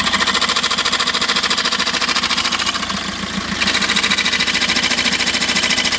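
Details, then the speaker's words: 2006 VW Jetta TDI diesel idle with harsh fast metallic clicking clatter when pushing clutch pedal; pedal hard, vibrates, won't reach floor; clutch disc found broken into pieces. "so I don't know if you can hear those clicking sounds but like it's like yeah just like you just pushing the clutch and it gets hard and then you just starts clicking like that"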